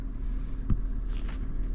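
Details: Toyota FJ Cruiser after a battery replacement, idling under electrical load (headlights, USB power, heated seats) with the voltmeter at 13.7 V: steady, low, even rumble with no misses, knocks or whine. Alternator charging normally.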